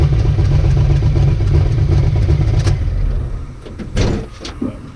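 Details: Ricky's 750 blow-through carburetor on a V8, with a 6.5 power valve, no pump shot, under test: a deep, steady burble with an even beat, about four a second, then settling lower; best it has run so far, normal running.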